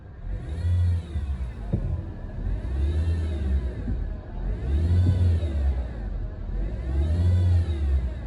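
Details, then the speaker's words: Honda Civic (2017–2019) engine idling then blipped about four times: whirring rattle from the belt drive climbs and falls with rpm; worn auto tensioner and idler pulley bearings. "Engine में से बड़ी ही अजीब सी आवाज़ आ रही है, जो कि मैं आपको सुना भी देता हूँ कि आवाज़ इसके अंदर किस तरह की आ रही है।"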